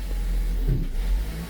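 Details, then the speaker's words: 2020 Ford Transit Connect, started: engine bogs down and stumbles with surging rough idle, temperature gauge pinned to hot, codes P1299 and P017D; cause was a failing alternator, not the head temperature sensor or PCM. "Go ahead and fire it up. See, it wants to bog down. The temperature gauge goes all the way to hot."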